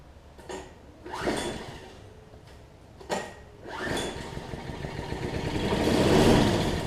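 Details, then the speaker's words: Troy-Bilt Tuff Cut 200 6.5 hp 21-inch self-propelled mower, rough, no gas tank fitted, checking for ignition; short pull-start bursts with weak uneven pops, then a longer swelling run as it nearly catches. "It's trying. I don't know if y'all can hear it trying to fire off there."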